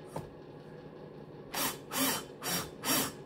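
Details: Cox 1641 engine, new cylinder head, valves lapped with a drill at about 2–3°C: gritty rasping strokes about twice a second as the valve twists back and forth; the lapping paste is still cutting the seat.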